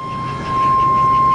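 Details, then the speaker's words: 2001 Chevy 3500 box truck, Vortec 5.7 V8, 290,000 mostly highway miles, at idle: thin, steady high-pitched squeal, drive belt slipping slightly, not a tap. "not a tap it's a belt sque squealing a little bit the gvr is 95 um 100 lb and that is not a tap that is the belt squeal in there a little bit"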